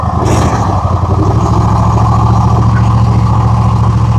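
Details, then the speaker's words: Gravely zero-turn with Kohler 7000 series engine, 99.6 hours, after fixing black smoke and weakness caused by a missing carburetor main jet (used jet installed); steady even note at constant speed, no surging. "not surging or anything. We just got lucky. I'm gonna tell you what right now. It's fixed."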